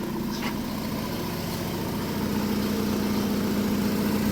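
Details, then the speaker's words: 1998 Hyundai Tiburon with 51K miles, long neglected, running again after timing belt and tune-up work: petrol engine idles steadily with an even low hum, no knocking or misfire; a faint chirp heard, a worn or misadjusted belt suspected. "Sounds pretty good, I think. Yeah, sounds good."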